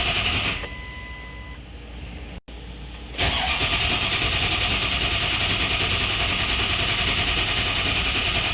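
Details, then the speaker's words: Ford 6.0 Powerstroke diesel after injector replacement: steady starter whir for a couple of seconds, then it catches and settles into an even diesel clatter; extended crank from air in the high-pressure oil system, which still needs bleeding. "Alright, so this is going to take a while to crank because we have a ton of air in the high pressure oil system. So we're going to hope that it'll do it before it kills batteries."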